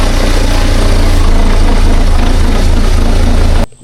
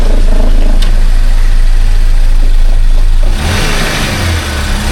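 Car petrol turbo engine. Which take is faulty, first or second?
first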